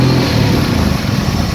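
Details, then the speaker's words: Chrysler Sebring with check engine light, started cold: after bank 1 enters closed loop the engine goes from smooth to barely running, low lumpy idle near stalling; bank 2 stays open loop, upstream O2 sensors seem lazy. "you can see the engine is now where you can hear it anyways it's barely running in"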